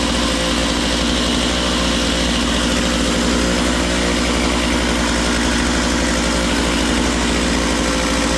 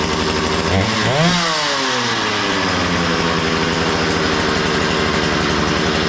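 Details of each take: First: Makita DCS 6401 chainsaw, unused for 10 years, now run with filter and bar and warming up: fast buzzy idle that never drops; idle set too high, so the chain keeps spinning off throttle; idle needs turning down. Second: Makita DCS 6401 chainsaw, unused for 10 years, after a new plug, fresh fuel and a cleaned tank and fuel filter: catches, blips and settles into a steady even buzz with no misfire; runs well, though the kill switch doesn't work.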